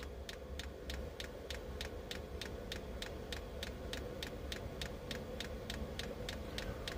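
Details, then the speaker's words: 8 kW Chinese diesel air heater in a camper, fuel pump running during warm-up: crisp, steady ticks about three per second, faster and harder while heating up, over burner and fan rumble; normal, it slows once warm. "now we can hear it clicking a little faster and harder right now is when it's heating all up"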